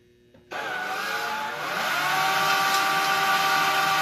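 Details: Homemade propane-tank ball mill, belt-driven motor run off a battery charger drawing about 2 amps: spins up from silence to a steady whirring hum with a faint rhythmic churn; runs smooth and even.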